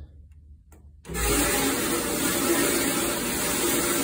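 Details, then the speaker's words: Frigidaire Gallery dryer, loud and not drying well, heard at the rear: starts up with loud steady hissy rushing metal-on-metal scrape over drum rumble at the back of the drum. "i put my ear up to the back here i got some metal on metal grinding in the rear of the drum"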